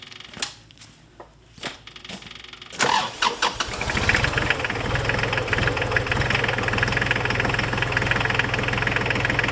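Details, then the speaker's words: Diesel tractor idling after antifreeze refill and bleeding: cranks, catches, then steady idle with low rumble underneath; worn water pump bearing with play in the fan, new pump to be fitted over winter. "new water pump for this €125 so I'll get that over the winter I you can hear it rumbling uh there is play in that fan"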